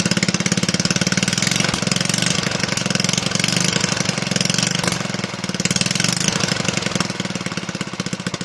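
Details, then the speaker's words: Toro 18005 mower, Tecumseh engine (possibly TVS series), carburetor cleaned, tank refitted and fueled, oil barely on dipstick: rapid steady popping with slight swells in speed, no misses or knocks; running properly. ">> She'll be a runner. Holy cow. I honestly did not have high hopes for this engine given the state that I found it in."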